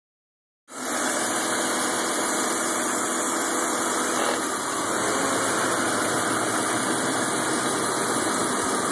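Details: 2000 BMW 528i sport package just after cold start: uneven lumpy idle with hissy background that clears as it warms; spark plugs recently changed, check engine light on, cause unknown.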